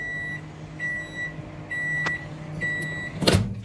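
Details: Samsung microwave, tested after transformer replacement with a cup of water for 30 seconds: low steady hum under short high beeps, then a door clunk; runs normally and the water heated.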